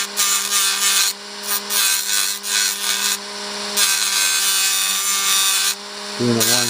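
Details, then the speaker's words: Rotary tool with a small grinding wheel gently grinding down a rolled-over rivet head during restoration of a 1961 Seeburg AY100U jukebox: high steady motor whine rising into a harsh grind on metal, then easing; normal operation. "I like to take my you know one of these little wheels that I have on my motor tool and I like to grind it down very gently very carefully taking the time until I get down to surface of the metal"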